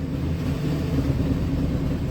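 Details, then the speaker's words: 2000 Ford F150 with aftermarket intake, after new cam position sensor, rear downstream O2 sensor and DPFE, EVAP unplugged, check engine light on: lumpy chugging idle around 1000 rpm with loud hissing, cause not pinned down; rough idle. "I'm idling really rough around a thousand and I hear the hippie noise really rough idle loud hissing chugging"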